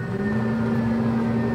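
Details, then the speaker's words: Traeger Pro 34 pellet grill at switch-on, with the burn pot empty and the auger screw not turning: the auger motor gives a steady electrical whine with a low hum as it grinds against a jammed auger. "And you can hear it. You can hear that electrical whine. So it's definitely an auger jam."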